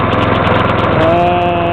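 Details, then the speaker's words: Troy-Bilt pressure washer small engine after carburetor cleaning, started with starter fluid and water connected: steady, even fast patter with no misses, surging or knocking; normal running. "Alright, as you can hear, that's the sweet sound of success."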